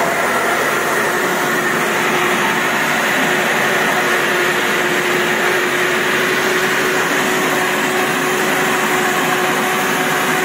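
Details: Samurai chain-driven rotary mower, rotors spun faster at higher setting because they are small; loud steady hum with a constant whine near 350 Hz, no knocks or grinding, which sounds alarming but is normal running.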